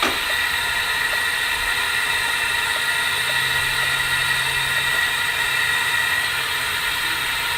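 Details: LSR UV spot repair packer in 6-inch pipe held at about 8 psi while liner presses against host pipe, before UV lights on; steady even hiss with faint high whistle holding level: packer holding pressure normally.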